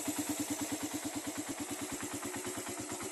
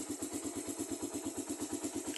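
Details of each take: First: Raider carbureted motorcycle, freshly started on a cold morning, carb tuned for moderate fuel consumption: even, steady putt at about three beats a second with no stumble, holding idle cleanly without stalling; the owner judges engine and carb in good condition. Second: Raider carbureted motorcycle just after a cold morning start: a light, regular tick at about eight per second from the head over a quiet idle; the owner says it is oil not yet reaching the top and it fades within 30 seconds to a minute.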